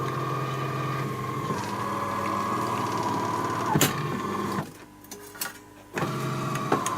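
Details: AEG Electrolux coffee machine after repairing its jammed brew unit, making a test coffee. A steady pump hum with a clear mid tone, a short quiet pause, then an even restart. It brews normally and the coffee comes out with crema.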